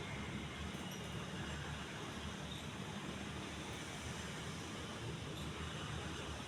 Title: Majestic deluxe decorative ceiling fan (after fixed blades and bad capacitor)